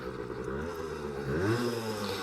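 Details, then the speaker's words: Vintage Honda MR50 two-stroke after it quit during a high-speed run (38 top speed), back at the garage. Steady buzzing with a small rev blip and no misfire; it runs and idles fine again, cause unknown, and the owner doubts it seized. "it's running good right now just perfectly fine so I don't know what the heck happened to her"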